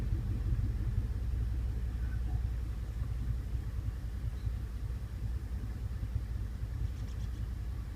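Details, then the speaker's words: 2007 Chevrolet Monte Carlo SS at idle: deep, uneven rumble wavering without steady beat, tach needle hovering up and down; rough idle, owner suspects misfire, not confirmed. "It also feels like it has a little rough idle, now that I think about it."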